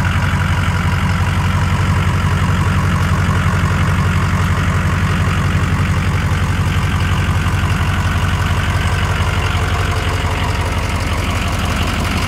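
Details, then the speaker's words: 2006 Ford F-350 King Ranch 4WD, 6.0L Powerstroke diesel: deep steady rumble with even clatter about two beats a second, no misses; normal diesel idle. "[Music] so sounds super mean ac is kicking ass as you can see over there"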